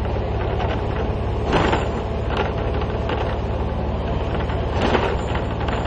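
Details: AMTS city bus on badly potholed Ahmedabad roads: constant loud rumble and clatter with heavier bangs every second or two as it crashes over potholes, loose panels rattling; body rattle on rough road, cause suspected, not confirmed.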